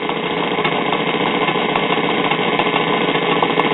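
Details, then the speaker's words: 1950s Waters-Conley record player (Phonola/Silvertone) with a dead cartridge: a steady rough, fast rumbling whir with an uneven thumping beat from the noisy turntable drive. "I will say the sound of the sound of this noisy drive mechanism is actually more entertaining than with the Merkel here"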